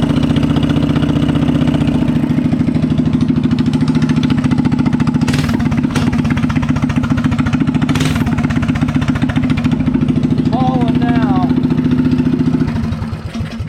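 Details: Coleman BT200X minibike single-cylinder engine, after switching to a new E3 spark plug to cure sputtering, backfiring and no-start; steady even putter at idle for about twelve seconds, then dies away; runs cleanly.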